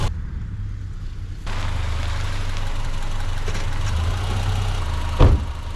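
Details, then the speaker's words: 2010 Subaru Forester after water pump replacement, warm idle: smooth steady low idle with no knocks, misses or surging; running just fine. "I'm going to pull it outside let it idle for a few minutes sounds like it's running just fine"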